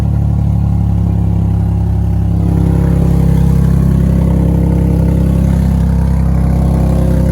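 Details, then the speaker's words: Infiniti G37 V6 that had been sitting, started on a jumper pack with the exhaust only partly fitted: loud deep running with a rapid uneven puffing tick about four per second on the exhaust note, from an exhaust leak. "There's an exhaust leak."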